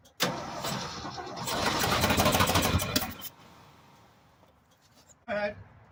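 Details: 1965 Ford F-250 pickup that sat for five years, first start attempt with fuel from a can and choke: starter churns steadily about three seconds with no firing, stops, then a brief second crank that also fails to catch.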